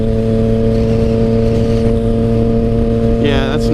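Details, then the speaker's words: Motorcycle with short clutch levers. A steady engine note, then the revs flare and climb without drive: the clutch is slipping because the lever and cable were adjusted too tight, holding the clutch partly in. "right have to fix that or a quick that's definitely not right I can hear you hear that slipping we're definitely gonna have to fix that"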